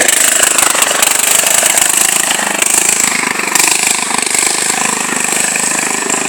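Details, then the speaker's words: John Deere tractor with Kohler engine just got running, test drive: harsh, raspy bark with fast rough pulses and no muffling; muffler weld broken off the pipe, so exhaust is extremely loud. "Now, if you can hear me, the reason it's so loud is because it doesn't even have a muffler on it. Well, it has a muffler, but the thing is, the welding on it is broke off on it. So it just tears the pipe, so it's extremely loud."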